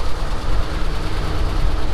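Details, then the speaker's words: Moving truck that had not run in 7 months, fuel sender signal wire used as ground, coolant topped up after low coolant light; steady deep low V8 rumble at very cold idle, even with no knocks or misses, exhaust a little smoky; normal cold idle. "but it's running nice oh i didn't look at the exhaust yet well it's a little smoky but it's also very cold right now"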